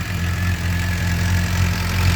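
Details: 2007 Suzuki GSX-R 600 inline-four first start after water pump seal, freeze plug and electrical repairs for coolant in oil: smooth, even idle, steady low hum and constant pitch, no knocks or rattles. Normal idle; smoke thought to be old oil burning off pipe.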